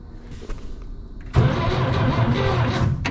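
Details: 1964 Jeep CJ5 barn find with a previously stuck engine, after a new starter solenoid let the key switch work: quiet at first, then strong steady rhythmic cranking at about four turns a second. Normal starter cranking.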